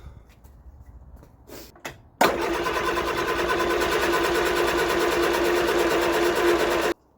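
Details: Vauxhall Viva HC barn find after fitting a new fuel filter: cranks and catches at once, runs evenly about five seconds, switches off cleanly; fuel starvation fixed.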